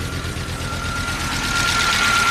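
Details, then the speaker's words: Long-abandoned Audi turbo car, first run after fixing a blown fuel line: rough uneven idle with a steady whistle and lumpy beat; number one cylinder not firing, injector suspected stuck, lifters not yet pumped up with oil after about 10 years. "and we know number one is not firing the injector suck and that taking the lifters are haven't been pumped up with oil in 10 years so we'll let it run for a little bit"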